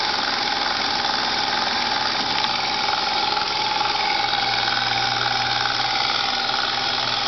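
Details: Lexus IS300 at idle, engine bay; hissy high-pitched whir and faint steady tone near 900 Hz over the idle; engine bay noise, source unclear.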